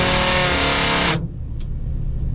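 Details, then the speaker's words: 1989 Chevrolet Suburban 1500 2WD, engine not yet warmed up: roof-mounted rear AC blower runs with a loud droning buzz and harsh whine, then cuts off sharply. Owner thinks it needs to be pulled apart, cleaned, lubed and adjusted. "So yeah, that's a thing. Technically it works, but it makes the world's worst noises."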